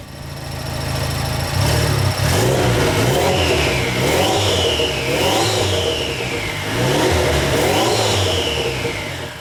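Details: DF Goblin kit car on its first engine start after priming the fuel system: the engine idles, then blips up in several clean rising-and-falling revs without knocking or misfire; normal, free-revving.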